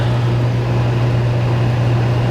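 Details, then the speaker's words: Kenmore 25357510791 dehumidifier after cleaning, blanket refitted, max dry and low fan speed, coil getting cold: steady low even compressor drone, no rattle or knock; start-up vibration fades, running smoothly. "A little vibration when it first starts up, but that goes away. That blanket really makes a difference. You can barely hear the compressor."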